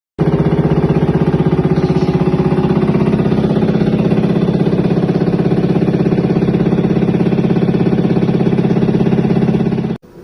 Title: стиральная машина сильно стучит при отжиме. The washing machine is knocking loudly.